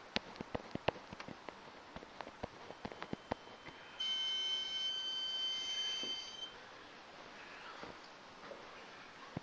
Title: BMW 535 Chirping noise